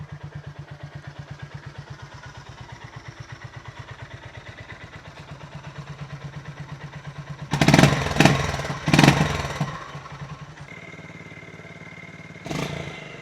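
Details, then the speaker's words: Honda GB350S single with a newly installed DNA free-flow air filter, idling 10–15 minutes after start, after earlier surging and up-and-down revs: a slow, even heartbeat thump with no hunting or misfire, no warning lights; settled and healthy. "But now it's really settled down, and it's got this lovely little heartbeat sound now."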